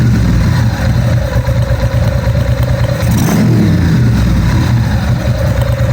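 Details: 1997 Ducati 750SS with Keihin FCR39 carbs, just after synchronising both carbs to five: deep, even twin beat picks up cleanly on the throttle blip and settles back without hanging. Synchronisation fixed the earlier rev hang.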